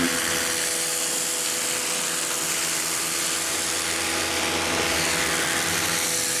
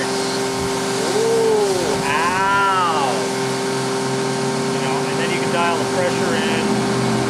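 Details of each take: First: Campbell-Hausfeld 1800 PSI electric pressure washer, model PW1835, universal motor: steady high buzzing whine at an even pitch with no surging or grinding. Running normally, though pressure feels weaker than rated. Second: Campbell-Hausfeld PW1835 1800 PSI electric pressure washer with universal motor, spraying on low pressure setting: a high steady motor scream over the spray noise that sags slightly at times; motor screaming and bogging; cause suspected, not confirmed.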